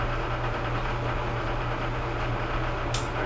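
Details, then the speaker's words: Whirlpool Duet steam dryer WED94HEXW1 after replacing the drum with seals: a steady low hum with an even, quiet tumble. The earlier rubbing of the drum against the right side panel is gone. "no more rubbing like we had before uh to replace that bad drum"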